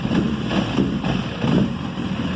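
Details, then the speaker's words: 2005 Honda CBR1000RR after replacing the rectifier, stator and spark plugs: a rough, lumpy idle with uneven beats and dropouts. The bike still misfires but now idles on its own. There was water in the fuel tank and injectors; clogged fuel injectors are suspected. "still have a misfire and uh the bike is wanting to idle on its own it's just um [Music] once it uh you can hear where it's misfiring and stuff sounds terrible but we are going in the right direction you"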